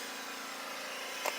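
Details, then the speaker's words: Kawasaki FH580V engine stopped during leak-down test; steady quiet hiss of air blowing by, also heard from the carburetor, indicating a leaking valve; engine was losing power, dying, smoking at startup. "but now maybe you can hear this but it's definitely Blowing by"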